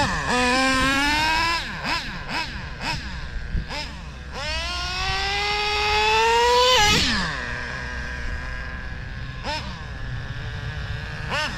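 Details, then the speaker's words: Traxxas Slayer Pro nitro RC engine with the low-speed needle dialed in (3-second pinch test) and half a tank of fuel: sharp rev blips that rise and fall cleanly, then a steady buzzing idle. Idle judged good and left alone. "it's actually pretty good I don't know if I want to mess with it"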